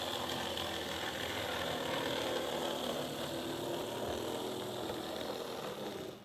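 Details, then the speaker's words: OO gauge Mehano model locomotive open-frame motor, serviced, running forward and reverse; harsh loud rattling whirr with gritty buzz; noisy rough motor, later replaced with another chassis and motor. "so you'll hear this one you hear how noisy that is i'll just reverse it hear that that's horrible"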